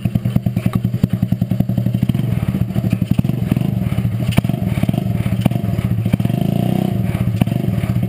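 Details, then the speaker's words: Rat rod riding mower, single cylinder: rapid slightly uneven thump that falters briefly, cutting out; owner thinks fuel starvation as it is almost out of gas; engine cutting out. "as you can hear it cuts out a little bit staring for fuel probably cuz it's almost out of gas so I need to put gas in it"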